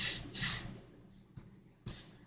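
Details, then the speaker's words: Apple HomePod reassembly, subwoofer pushed by hand: two sharp hissy puffs of escaping air, then faint quieter ones; ribbon cable not pulled fully through kept the subwoofer off its gasket, enclosure air leak. "Something is not sealing quite right, and I can already see what it was. We got the ribbon cable not pulled all the way through, so it was not letting the subwoofer sit against its gasket."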